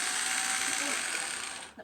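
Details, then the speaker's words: HPI Wheely King RC car with broken differential gears, before repair: fast, raspy whirr with a gritty ratcheting edge as the motor spins, fading out; gears slipping in the differential. "okay let's see if we can fix it stop it making this horrible noise"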